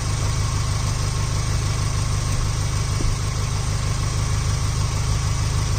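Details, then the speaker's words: Subaru Impreza Sport GG idling after oil change service: smooth even low rumble at steady pace like a sewing machine, no knocks or misses; normal settled idle. "Sounds like a sewing machine."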